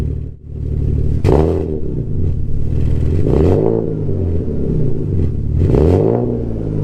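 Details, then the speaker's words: Alfa GTV 3.0 V6 first started in 18 months after refitting Wizard stainless downpipes and a Cybox stainless cat-back with no cat and largest silencer deleted. Slightly warmed, no dash lights. Three deep, loud blips rise and fall smoothly, no knocks or misses: healthy revving. "this still sounds deep very loud but still very deep and i'm just chuffed a bit with it"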